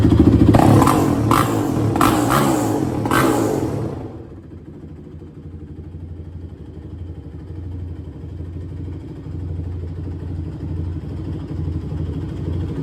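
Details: 2006 Honda TRX450R, stock exhaust, after valve adjustment, carb clean and tune-up; owner reports bogging and dying when hot. Four quick sharp throttle blips, then drops to a steady, even idle with no misfire or clatter; normal start and revving.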